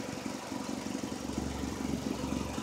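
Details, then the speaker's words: Honda at idle: steady idle with fast, uneven puffing chuff from a leaking exhaust flex pipe, repair pending; exhaust leak. "no big deal there but it's running you can probably hear the exhaust leak that's getting fixed on saturday that's that flex pipe came lease"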